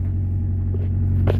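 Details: H22-swapped EK Honda Civic, after fixing a defective engine harness whose undersized wire starved the starter of voltage (starter clicked when hot, started with a jump box): deep, steady idle with no misses or knocks; normal idle.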